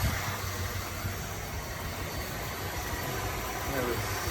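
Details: 1978 Dodge Diplomat that sat in storage since 2007, after the Lean Burn ignition conversion, idling at 750 rpm with timing advanced to 10: smooth, even low rumble, no misses, knocks or hunting; normal idle.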